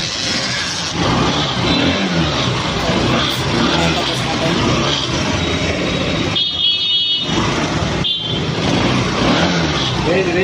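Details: Honda Shine motorcycle that wouldn't start or get current without battery, after wiring repair: small single-cylinder engine running and blipping throttle evenly, no stumble or cutting out; runs properly now.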